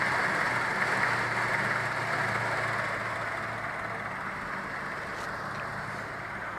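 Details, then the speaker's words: Renault 11 after thermocontact (fan switch) replacement, idling: steady airy whoosh over an even low idle, easing slightly; electric cooling fan running normally, though owner feels it stops slightly early and suspects the gauge temperature sensor. "Bon bah j'ai envie de dire que j'ai résolu mon problème. Même si je trouve qu'il s'arrête un peu trop tôt."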